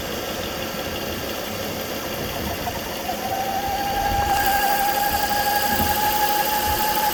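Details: 2009 Volvo S40 2.4i (B5244S7): a steady high whine near 800 Hz suddenly started. It is worst at idle and gone above 1500 rpm. The crankcase holds about 4 inHg vacuum and the oil cap is hard to remove. Owner suspects a bad PCV oil trap.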